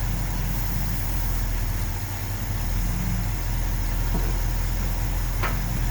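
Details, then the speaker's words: 1970 Ford F250 360 V8 with carb, plugs cleaned and regapped to about .042, one new, warming up: deep steady idle with slightly uneven loping beat, no knock; rough idle, owner suspects a vacuum leak. "there's got to be a vacuum leak somewhere otherwise putting in those idle air mixture screws would have done something"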